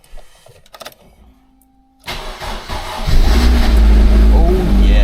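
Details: MG TF cold start after storage with the battery disconnected the whole time, immobilizer switched off first: quiet, then a short crank that catches quickly and settles into a steady, even idle with no knocks or misses; healthy start.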